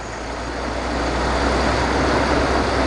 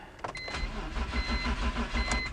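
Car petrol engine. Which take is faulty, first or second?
second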